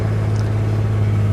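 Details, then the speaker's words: Maruti 800 after repairing the ECU fault that caused no check engine light and no start: cranks, starts and settles into a smooth, even low idle with no stumble, knock or misfire. "cranking and started as you can hear the car started and running smoothly"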